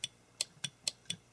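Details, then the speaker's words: Miller 180K welder field current regulator board on bench test, 18 V AC supply, battery simulating the weld sense line: six crisp relay clicks about a quarter second apart over near silence; relay engaging normally. "can hear it engaging the relay that clicks over the weld sense line"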